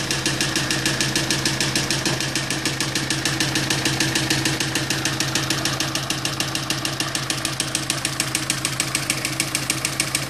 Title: Sorento knocking noise part2